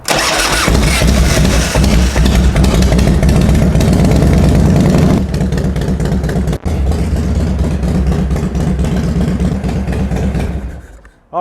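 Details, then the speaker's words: 1995 Harley-Davidson Low Rider or 1997 Fat Boy Evolution V-twin, cold start after top-end reconditioning and seal replacement, enrichener pulled: quick catch into deep, even loping idle, no knocks or rattles; running well. "right, that sounds great. I'm very happy."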